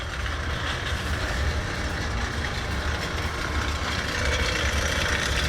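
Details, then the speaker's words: Bell & Gossett 1/4 HP, 1725 RPM, 115 V boiler heating circulator pump with constant rough churning rattle over motor hum; tenant complaints, motor gone, impeller suspected broken, to be replaced with new motor and switched to backup. "This one needs to be replaced. The motor is gone, and it seems like this circulator, it's already faulty."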